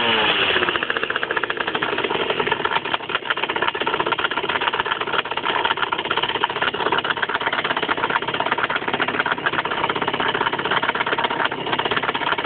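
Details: 50cc motorcycle engine at idle: a fast, dense rattling tick over a thin, buzzy idle, also heard when using the clutch and riding at low revs. It appeared a month after the engine was opened to replace the crankshaft and clutch; source unknown.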